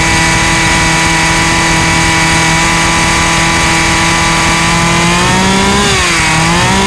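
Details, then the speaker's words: Husqvarna 36 chainsaw after repairing chafed-through spark plug lead and refitting earth lead: steady, even high buzz with only a brief dip near the end; runs, stops and runs consistently. "The chainsaw runs, it stops, it runs consistently."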